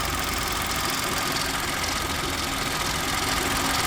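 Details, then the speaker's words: Old car idling, bonnet open: persistent tinny metallic rattle about three to four a second over the low hum, following revs; source not yet pinned down. "brakes or nothing you can tell the difference and anyway the noise went up and down with the engine ribs but there's nothing in hell it's just that that rattle the rattle's still there"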